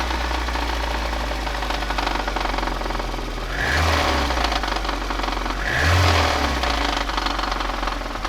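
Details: Knocking from inside the engine of a VAZ 2110 8-valve: uneven, fast knock about four per second riding over the idle, swelling with two short revs.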